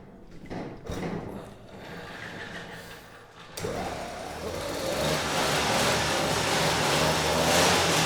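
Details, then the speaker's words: Vintage Huffy two-stroke bike of unknown history, no recoil starter, started by pedaling on a trainer: pedaling whir, then engine catches quickly into an even, buzzy run, not fully warm, unloaded; sounds healthy, carb jetting maybe slightly off. "it works yeah I wasn't sure that was going to work but it actually started pretty quickly and ran halfway decent so you know the engine sounds healthy"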